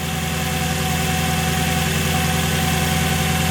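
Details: Mercedes C55 AMG after custom fuel filter setup fixing fuel pressure loss, fuel pressure just under 60: starts in neutral and settles to smooth, steady idle with even low rumble, no misses, knocks or hunting. Normal idle.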